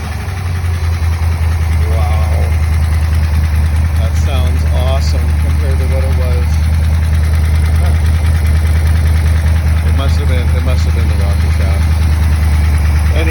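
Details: Buick Nailhead V8 after new rocker shaft assembly, lifter preload .040, 45 psi oil pressure, light throttle blips: smooth low rumble with no top-end ticking or clatter; valvetrain noise fixed.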